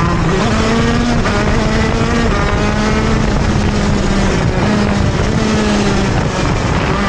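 High-revving two-stroke drops and climbs again and again, hesitating each time it is asked to pull out of a turn.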